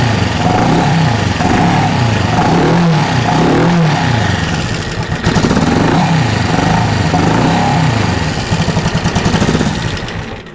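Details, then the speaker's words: 1974 Honda CB360 twin with pod filters, after carb jet tuning: uneven, lumpy loping beat with surging revs, one side not firing, running on one cylinder; owner suspects that carb lacks fuel from fuel-line vapor lock. "It's only running on one cylinder. That one is always the culprit. Probably cuz it doesn't have any fuel in it."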